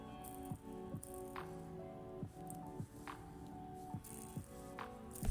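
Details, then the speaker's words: Hand-spun roller skate bearing after cleaning: it rings steadily but has a rough rattle tick about twice a second, unlike the smooth ones; it may be leftover water or a worn bearing, not confirmed. "sounds totally different from one of like these ones that sound so smooth that one's super smooth and then this one has like a rattle to it"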